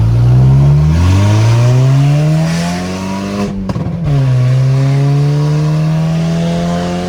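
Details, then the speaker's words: Car with newly installed exhaust, replacing a setup with the catalytic converter broken off both pipes, recorded outside: deep, smooth rumble that climbs cleanly with each rev and settles back without rattles or leaks; healthy exhaust note. "I'll miss the loudness but this nice low nice low rumbles way better for a daily driver"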